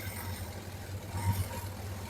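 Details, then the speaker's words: Suzuki GSX600F four-cylinder motorcycle idling: the rumble swells and sags instead of holding steady; the vacuum gauges show the carburetors slightly out of balance, and a thorough carburetor cleaning is planned. "No es estable."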